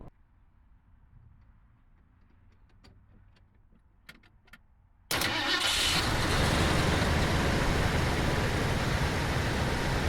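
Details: 1980 Ford F100 Ranger after installing new 19-gallon replacement fuel tank with spliced hose; quick crank, catches cleanly, settles into steady even idle: normal start and idle.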